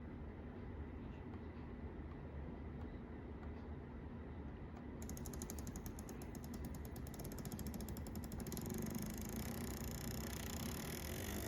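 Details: Atlas U25B model locomotive drones low, then a rapid, uneven ratcheting click joins in partway; making noise and not running correctly, cause unknown.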